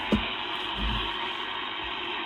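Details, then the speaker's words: Collins 51S-1 shortwave receiver after connecting a coax jumper across the low-frequency converter jumpers on the back: steady band-limited hiss with faint station audio on the low bands; reception restored, nothing faulty inside. "Let's see if this brings back our reception on the lower bands. Ooh, I hear something there. And success."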